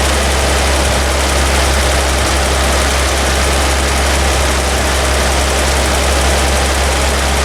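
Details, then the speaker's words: Toyota FJ40 Land Cruiser after new distributor, cap and rotor fitted (old mechanical advance wasn't advancing), base timing set good: steady low even idle drone, no misses or hunting; high idle still being adjusted. "so new distributor cap rotor and set it up timed its base timing is good I high idle I'm playing with a little bit"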